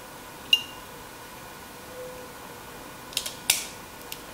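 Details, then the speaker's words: Logitech wireless mouse opened for repair of a button that was not clicking, with the copper part reinserted under the microswitch: a few short, crisp clicks on a quiet background; the switch snaps cleanly and is seated correctly. "it has to click that's what our mouse click is all about see that that click is what is required because when you press this button this small plate underneath goes and press this one"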